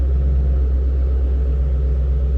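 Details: 2006 Ford Mustang GT convertible, 4.6 L V8, 5-speed manual, Ford Racing cold air intake and mufflers, 82,294 miles, no warning lights: deep even V8 burble at idle, steady low rumble, no knocks or misses; healthy idle.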